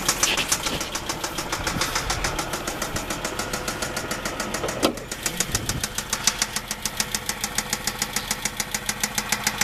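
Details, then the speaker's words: 2007 Dodge Charger 3.5 engine: sharp, steady ticking knock about three to four times a second over rough running; top end knock, transmission also acting low on fluid. "this is the junk sound it makes. And now you can hear that it runs like crap."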